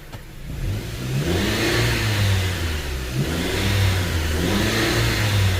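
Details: Dodge Caliber with codes P0301 and P0300 (cylinder 1 and multiple misfire), spark plug gap found too wide: the petrol engine revs twice and settles, slightly rough and uneven as it climbs; the misfire code returns and blinks.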